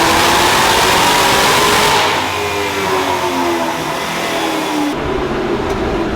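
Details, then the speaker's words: Terminator Cobra Mustang V8 on the dyno, wheels spinning: note sags and stumbles under load instead of climbing cleanly; misfire, suspected spark blowout, plugs to be replaced with TR7IX. "I think it needs plugs. All right, it sounds like it might be getting some spark blowout, so I'm gonna go ahead and get a fresh set of TR7IXs in it."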